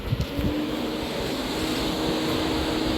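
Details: 2012 Toyota Prius V, radiator cooling fan commanded on with a Launch scan tool: a steady low hum holds under some wind rush as the fan spins up and runs smoothly. Normal cooling fan operation.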